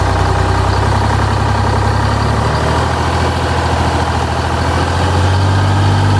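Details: 1985 Bluebird Wanderlodge PT40 diesel running after the primary filter was refilled, before the buffer/fast idle adjustment. Deep, even clatter at a steady idle with no misses or hunting: a healthy idle.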